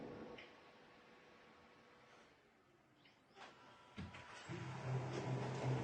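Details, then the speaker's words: Brother printer after the gear-skipping and cracking noise was fixed at the chassis frame, copying from the tray and the ADF: even low whir with no clatter or grinding; normal printer operation. "Então foi uma da bandeja, outra do ADF. Vocês viram barulho sanado."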